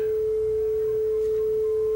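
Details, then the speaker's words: Yamaha K520 cassette deck playing a speed test tape: pure steady test tone, flutter and wow gone, speed still slightly off before adjustment; steady tape speed. "we're not going quite the right speed yet we'll fix that but gone is that ugly flutter or that ugly wow"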